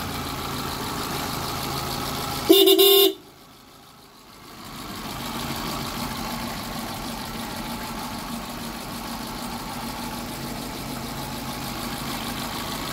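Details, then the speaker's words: Hyundai Getz after general overhaul, crank timing sprocket now fixed with no play after loose center bolt caused knocking and misfire; short horn toot then smooth, even healthy idle with no knocks or misses. "So ayun guys ah okay na yung ano na natin hyundai gats na general overhaul"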